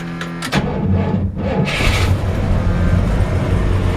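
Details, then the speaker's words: 1961 Chrysler 300G with its original engine, after fuel tank removal, draining old gas, a tune-up and carburetor cleaning. A brief crank, then it fires right up into an even, deep rumble with no misses or knocks: normal cold start. "fires right up this is what I spent my money on we took it to the shop pulled the tank out drained all the old gas gave it a thorough tune-up cleaned the carburetors"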